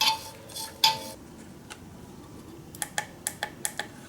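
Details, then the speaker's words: Boss ME-80 guitar multi-effects unit after replacing a soldered TACT switch (SKQK 6x6x5mm): crisp, light, clean sharp clicks on each press, a normal tactile switch click. "button sounds good sounds like it's clicking now"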